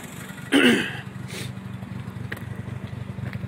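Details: Mazda RX-7 FD3S Type R with a recently rebuilt engine, parked for months, misfiring: a choppy, uneven idle with irregular dropouts. The engine builder suspects a spark plug.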